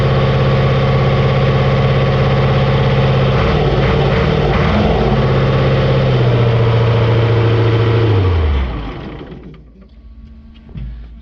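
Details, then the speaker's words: Caterpillar 3208 diesel, first run, not yet warmed up or filled with water: steady, even clatter at fast idle about eight seconds, then winds down and stops; normal running. "she's a runner sounds like she's trying to build air"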